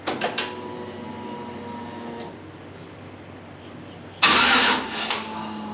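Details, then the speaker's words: Engine on a no-start troubleshooting list, fuel system primed and leak-checked: starter whirs in short bursts and the engine turns over freely but never catches. Crank-no-start. "we're pretty certain everything's cranking like it should everything's really turning over like it is like it should be"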